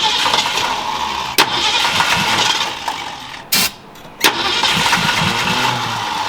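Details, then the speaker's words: 1968 Mustang with a new fuel pump and fuel line and a dried-out fuel system, on starter fluid. Fast, uneven cranking with sharp bursts and a kick, close to catching but not running. "Ooh, we are close, baby. Definitely had a kick on that one."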